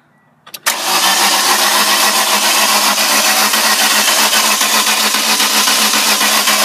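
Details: 1999 Ford Escort with broken timing belt; starter cranks at a steady fast rate without the uneven lift of compression strokes and never fires, fuel pump heard; crank no start.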